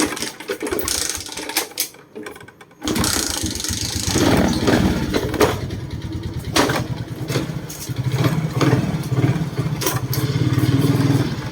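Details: Suzuki Smash FI fuel-injected motorcycle road-tested after replacing worn three-shoe clutch (lining worn to metal caused juddering, jerky pull-away); starts cleanly, pulls away into even drone with smooth throttle changes, no judder: runs fine, no shaking.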